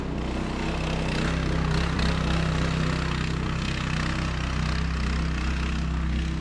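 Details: Child-size go-kart single-cylinder engine, after sitting for years, on driving test after new carb and throttle cable: low, even drone with steady beat, no misses or knocks; pulls smoothly and runs good.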